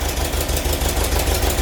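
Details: VW bus after full engine rebuild, hydraulic lifters: loud fast regular ticking clatter at idle, about eight taps a second; valves need adjustment.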